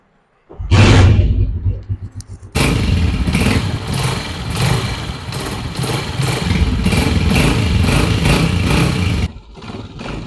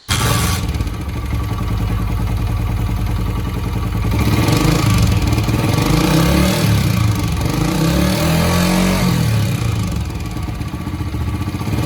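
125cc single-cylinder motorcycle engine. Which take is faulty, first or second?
second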